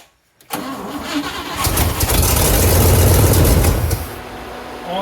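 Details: 1957 Pontiac Star Chief Catalina four-door hardtop, 347 V8, old gas in the tank, first start after sitting: brief crank, then catches and settles into a steady, even idle; normal start and idle.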